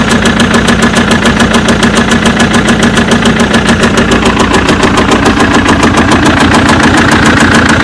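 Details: BMW engine at idle: a fast, even tapping knock clearly above the engine note. The source of the knock is unknown.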